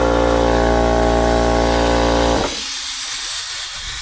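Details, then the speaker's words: The air compressor for a Dixie horn gives a flat, droning buzz at one steady pitch for over two seconds, then hiss. The compressor's positive and negative wires are swapped; the fix is swapping them back, and the fuse protects it. "that means that you've got the compressor wires switched and you just need to swap them back, which is also why it's important to have that fuse."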